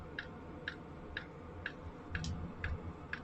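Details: Sunster 5 kW all-in-one diesel air heater running, outlet air around 50°C: sharp even clicks about twice a second over quiet fan hum, fuel pump dosing normally.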